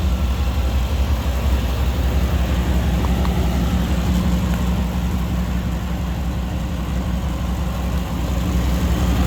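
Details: 2000 Chevy Tahoe Limited, Vortec 350, after fixing a no-start caused by a distributor cap corroded at the electrodes and crossfiring: smooth, even low rumble at steady idle, no misses, ticks or knocks; running as it should.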